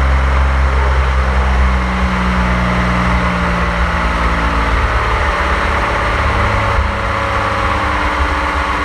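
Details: 1927 Avions Voisin C11, 2.3-litre sleeve-valve six, first start after a rebuild and about 60 years unused; a low, smooth, steady run with even pulses and no knocks or rattles, running normally.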